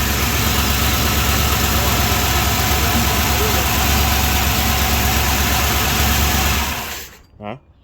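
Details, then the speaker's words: 1978 Chrysler Newport running for the first time in a long time after a fuel pump replacement, still needing a tune-up. A rough, busy idle with a quick, even tick about three per second, then shutdown. Lifter chatter is suspected, not confirmed. "lifter chatter."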